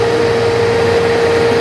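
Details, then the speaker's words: Desktop PC after reinstalling the original RAM stick: the earlier 5-beep no-display fault stops, but an internal fan now runs with a loud, steady roar and constant hum near 470 Hz. "fun starts making noise from here there's a fan here that is making a lot of noise but the beep has gone now"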